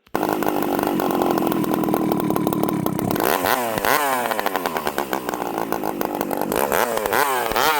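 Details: Stihl 064 chainsaw, after rebuild, plug colour brown: after revving, pitch sags slowly and warbles before idle, sometimes stalls; owner suspects lean at times, rich at others.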